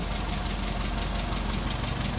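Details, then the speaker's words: 1959 Hillman Husky sedan delivery, 1,390 cc inline four, 12-volt system, heard at the open engine bay: quick, even pulses at a settled idle, purring, no knocks or misses; normal idle. "Looking good. Here it is. Purring right along again. 1,390 cc's inline four cylinder."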